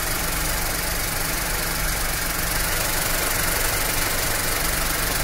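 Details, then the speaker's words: Skoda Fabia with overheating and a dead radiator fan, after the faulty fan relay was replaced: engine idles evenly under a constant airy whoosh of the electric fan running steadily; fan working, problem solved. "ये देखिए replace करने के बाद हमारा problem solve हो चुका है"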